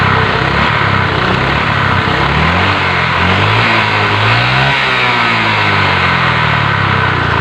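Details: Honda Vario Techno scooter: revs rise and sag unevenly with coughing on throttle opening instead of pulling cleanly; damaged fuel injector found as cause.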